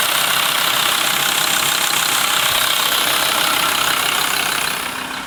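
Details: VW LT 35 2.5 TDI (AHD) diesel, warm: sharp rattly tick about three times a second over idle clatter, also when accelerating, not when coasting; owner suspects camshaft area; new vacuum pump and rod made it quieter.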